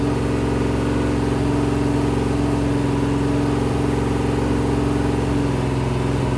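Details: Rebuilt 426 Gen 2 Hemi crate V8 (new heads, intake, pistons) on run stand, flat-tappet cam break-in, ~15 min in, ~210°F: smooth even drone at fast idle, steady beat, no ticking or knocking; normal high idle.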